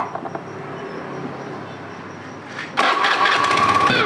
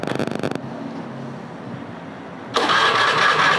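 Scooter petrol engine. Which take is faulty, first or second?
second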